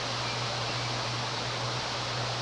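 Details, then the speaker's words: 1993 Homestead Aero 58-inch ceiling fan, plastic blades: steady airy whoosh over faint low motor hum at high speed, no ticking or thumping, zero wobble; running smoothly. "But what I like about this thing is there's zero wobble."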